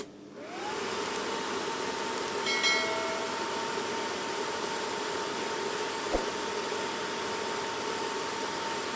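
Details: Ballu heat curtain fan after repair (squeaking fan, shaft slipping in rubber coupling, shaft roughened and glued in): smooth even fan rush with steady mid tone, no squeal, scrape or slipping; fan runs normally.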